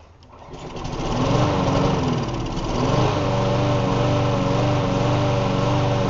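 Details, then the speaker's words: Self-propelled Bolens walk-behind mower, just got running after sitting outside; small engine spins up to an even steady drone with no misses; runs well, needs new air filter and frozen cables replaced. "I just got it running and I got the self-propelled to work. It runs pretty good."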